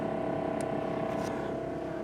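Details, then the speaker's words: 1976 GMC Motorhome rear air ride lines in the dash, after the leaking manifold fittings were replaced with new Parker 68P 1/4" fittings. Only a steady low hum with no hiss; no more air leaking. "i can do this magic ready set done well here it is no more air leaking"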